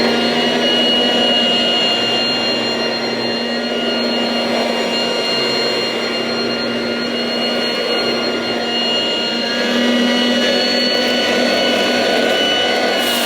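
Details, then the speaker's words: 1980s mains-powered Goblin Roto handheld vacuum cleaner with rotating agitator brush, demonstrated after fitting the inner bag: loud, steady constant-pitch whine with a fine brush whirr; very noisy but running evenly. "well there you have it that's the goblin Roto quite a noisy but fairly effective handheld cleaner from the 1980s"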